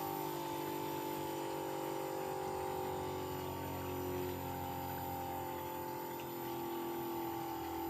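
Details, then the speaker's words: Bosch heat pump in a normal defrost cycle: a steady compressor hum with a few even tones that ramps up, then eases and settles as the valve shifts back; normal defrost. "you heard how that thing ramped itself up you heard that compressor really kick up there in sound and then it slowly started going back down"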